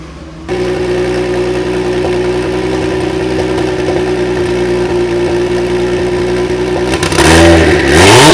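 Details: Kia V6 twin-turbo engine swapped into a DeLorean, first run on a base map, warmed up: clean, even idle, then a smooth rise in revs with no knocks, misses or rattles. Sounds healthy and revs freely.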